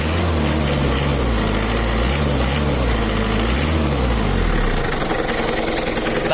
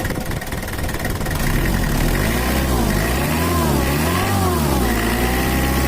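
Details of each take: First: Mitsubishi Kuda diesel (4D56) with complaints of rough, limping idle, low power, slight overheating and oil leaks: a loud diesel idle with an uneven knock running through it. The suspected cause is a loose crankshaft pulley wobbling on its bolt. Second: Mitsubishi Kuda diesel (4D56) after repair; complaint was rough, limping idle, low power and an oil leak; reset to standard: the idle smooths out and blips up and down a few times with no shake or misses left. Normal idle.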